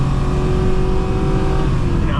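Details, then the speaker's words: Automatic transmission (240E) in a driven vehicle with no codes and burnt-looking fluid, 2.43 rear gear: engine roar keeps climbing under throttle with no shift to second, later downshifts to first and just revs; transmission judged shot. "This has got a 243 gear in the back, so it gets pretty fast before it would really call for a a second gear. But, as you can tell, it just keeps going."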